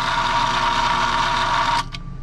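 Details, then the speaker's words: Three-phase motor starter on a 208 V system reading only about 193–194 V, for a fresh air intake/exhaust fan; switched to hand, the contactor gives a harsh, steady buzz and clicks, trying but failing to pull in despite coil voltage. "I got it on off now if I click hand watch out before this thing blows oh there's the contactor trying to plunge"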